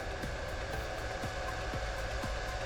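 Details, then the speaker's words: Bitmain PSU powering a Goldshell AE Box 2 miner, stock fan before a Noctua swap, measuring about 66 dB: loud, steady whirring rush with a constant high tone and no speed change; the stock fan is too noisy. "So, right there it says we're about 66 decibels."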